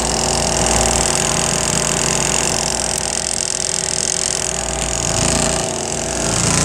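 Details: RV washing machine's spin dryer running, water draining out during spin: even, fast whirring with water rushing out and a smooth steady rhythm; normal spin cycle.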